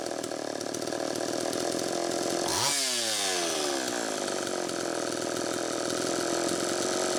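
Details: Homelite Super EZ chainsaw after fixing lean air leak by tightening loose intake block/reed valve screws and sealing gaskets: high buzzing two-stroke note holding speed evenly at high revs, no surging or sputter.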